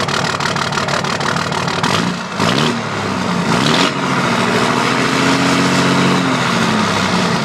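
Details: 2005 Dodge Cummins diesel at idle with an uneven, lumpy beat stumbling every cycle; dead cylinder misfire from a bad injector not firing.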